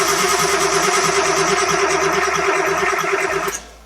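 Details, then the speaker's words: Big-turbo Nissan RB20 with a new cam angle sensor fitted: steady starter cranking for about 3.5 s that never fires. Owner suspects power loss at injectors and CAS from a wiring-harness short, or possibly a low battery. "unfortunately that did not work and that is with the new cam angle sensor not being old one"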